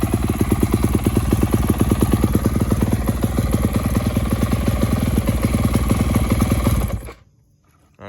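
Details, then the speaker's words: First start of a newly bought used 2019 Yamaha YZ250F: a rough, fast single-cylinder idle with an uneven rattly edge for about seven seconds, then cut off. The titanium exhaust is suspected loose and needs tightening. "It sounds like this exhaust right here is loose. Yeah, so I'm gonna need to tighten it up."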